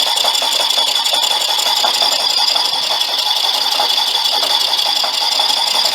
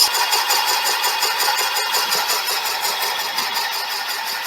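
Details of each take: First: Boring out a brazed repair in a cylinder bore of a '59 flathead engine, finishing to final size: high cutting squeal with intermittent chatter and a pulsing beat as the tool skips over voids in the braze. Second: Boring out a cylinder bore with a brazed repair on a '59 flathead block, going to finished size. The machine strains, and the earlier intermittent cut becomes a high, steady hiss with an even pulse, cutting almost all the way round at the bottom.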